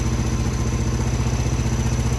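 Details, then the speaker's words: 1995 Craftsman LT4000 lawn tractor, single-cylinder engine, after sump gasket replacement: steady, even putter at a relaxed idle with regular firing, no knocks or misses. Idling nice, could be lowered slightly; only the breather hose still leaks. Normal idle. "What else? So yeah, all right, let's but I mean, yeah, it's idling nice. I mean, I could lower it a little bit, but that's about good."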